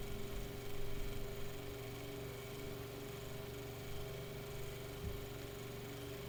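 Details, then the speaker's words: Mainstays 9-inch high velocity fan after cleaning, oiling and blade balancing, on medium in a cold room; steady even hum with a clean mid tone, no rattle, tick or scrape; healthy motor with a distinct sound. "yes it is cold down here let cigalette warm up it's kind of very it's got a very distinct sound to it too"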